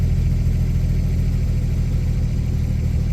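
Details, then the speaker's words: 1961 Studebaker Lark after a suspected flooding no-start, about 1/8 tank of fuel: low, steady idle with an even rumble and no misses, ticks or knocks. Normal idle. "So, yeah, sounds fine."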